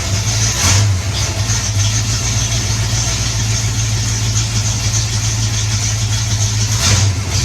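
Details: 1984 Mustang GT350 5.0 V8, after installing a high-torque mini starter to cure heat-soak starting trouble: it starts right up with a more powerful crank, then a strong steady idle with brief throttle blips. Normal start.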